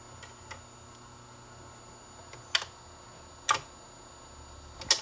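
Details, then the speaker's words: Dual 1219 turntable after repair of a slightly bent part that kept the motor from shutting off: a few sharp light clicks about a second apart as the changer cycles; auto-start and stop now work normally. "so i'll run it through the mechanism automatically or even if i do it manually pick it up it'll start playing all right and i stop it it'll stop as you can see start up automatically"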